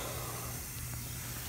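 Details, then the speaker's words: HVAC heat pump/AC outdoor unit after defrost board replacement: constant sharp hiss over a low unit hum, steady with no rhythm; refrigerant leaking at the filter-drier, which was to be cut out and replaced, repair declined. "customer don't want to spend the money to uh fix the refriger leak"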